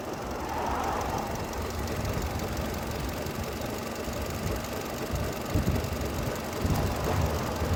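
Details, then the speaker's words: 2002 Mercedes A-Class with an expired MOT, idling roughly with vibration and a faint, irregular clicky rattle on top. The noise is new and its source is unknown. Idle vibration with rattle. "It's vibrating a bit. I can hear something like rattling, but it's vibrating."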